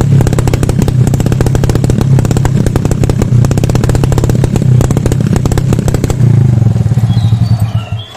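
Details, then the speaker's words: Motorcycle carburettor deliberately set with an oversized main jet: heavy, lazy, boggy wet thumping beat before dying away; rich running from oversized main jet. "contoh main-jet saya setting boros ya gan ya jadi suaranya antet gitu ya"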